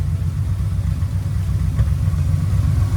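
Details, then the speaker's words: 1973 Triumph TR6 under restoration, freshly fitted Monza exhaust with performance header, just after start-up: steady, even, throaty low rumble at idle with no misses or knocks; idles smoothly and healthy. "that's nice and throaty that sounds really good oh nice nice and smooth it's idling really nicely"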